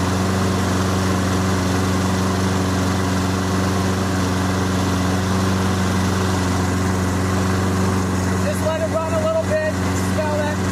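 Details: Toro Recycler 22-inch push mower, Briggs & Stratton 190cc, after an AMSOIL Power Foam carburetor soak and smoky burn-off: steady, even single-cylinder chug at a constant pace with no misses or surging; normal running.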